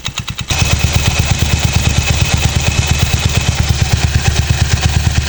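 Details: Mio Sporty scooter idling after replacing the loose pulley collar that was causing knocking: steady, even pulse of about three beats a second with no knocking from the CVT pulley; runs smooth.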